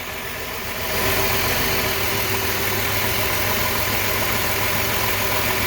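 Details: 2003 Chrysler Town & Country 3.8 V6 with codes P0300 and P0204, after coil and plug wires failed to fix it, heard at idle via screwdriver: uneven stumbling beat; misfire, cylinder 4 injector not clicking, noid light test next.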